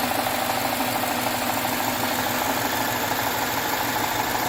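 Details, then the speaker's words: 2013 Jaguar XF 3.0L AJ126 supercharged direct-injection V6 after engine rebuild with timing chain kit, no fuel leaks seen: steady, even idle with light quick ticking, no misses or knocks; sounds good, normal idle. "like it I think it sounds good"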